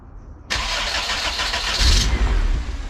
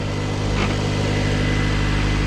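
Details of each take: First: Turbo Honda CRX with newly rebuilt full exhaust, intercooler not yet connected to the turbo: brief crank, catches with a rough burst for about 1.5 s then dies; blocked intake, code 15 ignition output signal also shown. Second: Turbo Honda CRX with new full exhaust after fixing raspy exhaust: quiet, steady, even idle at 1100–1200 rpm with no rasp or drone, the fuel pump whir louder than the exhaust, plus slight loose-bumper rattle.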